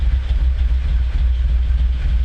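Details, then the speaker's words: Dodge Stealth / 3000GT freshly rebuilt engine, heavy smoke at startup and idle, low oil pressure, tach not working: deep, slow, loping rumble, slightly uneven; idle very low, estimated around 600 rpm. "But it sounds like my RPMs must be around maybe 600 or so. Really, really low."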